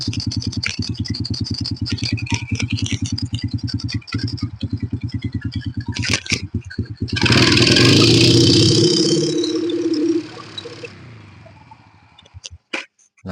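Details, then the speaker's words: Honda Supra Fit New motorcycle with the choke applied again: uneven thumping, then a muffled, breathless rise on throttle that dies away; the choke does not spring back unless pried, bogging the engine and causing the hill power loss. "ketika dicuk BB cuknya juga enggak balik nih ketika dikembalikan kecuali kita congkel nah dia akan balik sendiri"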